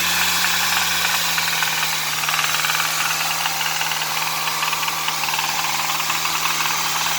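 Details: Hyundai Sonata 2.4 petrol engine idling with a steady, fairly quick knock, about four a second, over the running noise.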